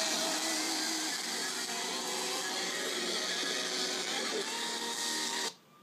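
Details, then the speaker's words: Toshiba 17-inch laptop running Ubuntu playing metal Christmas music: harsh, buzzy crackle swamps the playback through its speakers; owner suspects an Ubuntu software issue or a bad internal connection, unconfirmed. "so that's that's what it sounds like not sure what actually is causing it"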